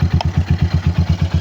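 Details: RC250 with over 34,000 km, original battery, started by emergency start since push button fails: quick, even idle thump about eight beats a second, no misses; steady healthy idle.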